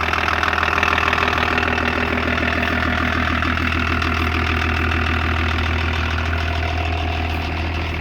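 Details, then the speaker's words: 1984 Lincoln Continental with BMW-built 2.4 L inline-six turbo diesel and ZF transmission, claimed 70,000 miles: even, regular diesel clatter at idle, about three beats a second over a steady low rumble; healthy running. "good old diesel"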